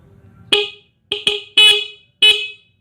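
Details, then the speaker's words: Stock Honda Megapro horn, one of its two horns removed and powered from a laptop charger: four short, sharp, bright, piercing blasts with clean cutoffs and no defect heard; normal horn sound. "Nah, suaranya seperti itu ya. Kencang sekali ya ini suaranya ya, walaupun kecil."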